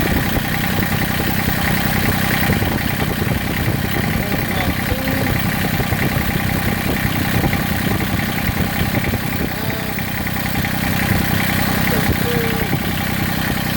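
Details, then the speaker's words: Massey Ferguson GC1710 diesel sub-compact tractor with heavy vibration and power cut nearly in half: uneven, lumpy idle around four pulses a second; owner suspects a cylinder misfiring or not firing. "and if you listen you can hear it and it's I mean it's more than that I mean my power has been cut almost in half it feels like"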